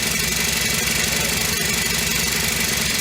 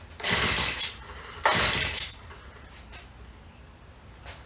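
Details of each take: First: Honda FG100 four-stroke single-cylinder mini tiller after repair, choke off and idle raised: a smooth, even putter of about four beats a second with no knocks or valve clatter, much quieter than the day before when it had no valve. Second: Honda FG100 four-stroke mini tiller, back together after repair (it previously had no valve), just started on choke after priming: the engine catches after a few pulls but runs unevenly, hunting and faltering at low speed, and won't idle by itself.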